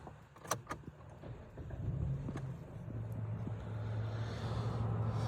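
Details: 2013 Dodge Avenger petrol engine starts after a couple of handling clicks and settles into a smooth, low idle hum with no ticking, after the faulty part was unclipped and left disconnected; it previously ticked at every start.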